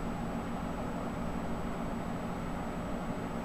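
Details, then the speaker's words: Computer case fan after its sleeve bearing was lubricated with grease thinned with a little Marvel Mystery Oil: steady, even hum with no rattle or ticking, now running like new after the repair. "so we got a mixture of grease and some Marvel Mystery Oil down in that sleeve bearing I don't feel any rattling whatsoever other than the normal operation of the"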